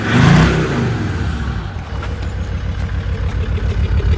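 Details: Land Rover Discovery 2 Td5 diesel below operating temperature: idle stumbles with an uneven lumpy beat, three or four per second, then smooths out, shorter as it warms; owner suspects ECU-controlled misfire, fuel cut or cold protection.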